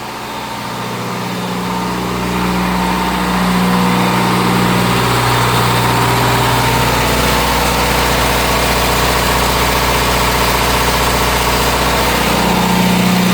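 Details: Onan DJC diesel generator, started stone cold after sitting a month or two, on a load bank switched between several hundred watts and about 11 kW: loud steady drone, pitch shifting slightly with load, holding speed cleanly, no exhaust smoke; normal load response.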